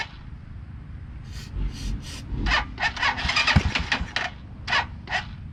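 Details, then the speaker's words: 2010 Dongfeng DF250RTB single-cylinder air-cooled 250cc motorcycle, first start after sitting 10 years: catches, sputters, then runs in uneven throttle blips once off the choke; normal running. "off the choke too soon well it runs well that was fairly simple"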